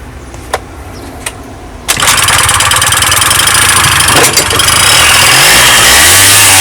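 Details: Honda Dio 27 scooter after fuel pump replacement and carburetor cleaning for a no-start: a few clicks, then it catches into a crisp buzzing idle and revs cleanly; normal running.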